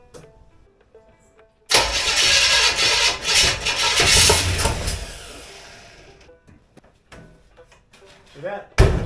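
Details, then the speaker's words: Chevrolet 283 V8 with a 2-barrel Rochester carb, after ignition timing was adjusted: a few seconds of loud, uneven cranking that fades without catching, sounding worse. Owner suspects timing and plans to turn the distributor clockwise. "sounded like it was worse, so I'm going to go the other direction with the timing."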